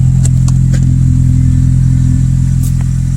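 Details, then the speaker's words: Cheap 2008 Honda Civic 4-cylinder automatic that failed inspection, just started after sitting with a dead battery: idle with a steady low drone and regular light ticking about 3–4 per second. Known exhaust leak. "So it sounds like she's got a bit of an exhaust leak. I'm actually surprised."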